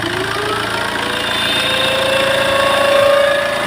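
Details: Tata Safari Storme diesel at start-up, engine sometimes shutting off: rough idle with a rattle and a thin whine climbing then steadying mid-pitch.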